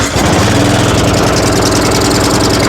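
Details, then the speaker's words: Yard Machines riding mower with PowerMore engine, run outside on choke to try to clear it up (else carburetor work): fairly even beat with no stumbling, better but keeps running only on choke; belt burning smell noticed afterwards. "Still on choke. It's better. Of course, I go outside and now it's gonna run perfect. So sounds pretty good."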